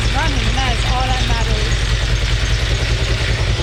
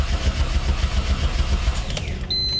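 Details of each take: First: Mitsubishi 6G72 twin-turbo engine after a rebuild, including a rebuilt turbo: steady, even idle with a smooth low throb and no misses, no smoke from the exhaust (the problem being chased), then the engine is shut off; normal idle. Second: Freshly rebuilt Mitsubishi 6G72 twin-turbo with its turbo just installed, first start after 5–6 years of not running properly. It cranks steadily at about seven pulses a second without catching, starved of fuel because the tank is nearly empty; it runs afterwards.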